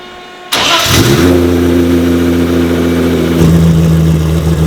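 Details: Nissan R32 GT-R, 3.4L RB, MoTeC, on its first start after the build. It cranks, catches at once, blips, then holds a firm, steady idle with no misfire, quiet through big rear mufflers. Charging reads 14.9 volts; it sounds healthy.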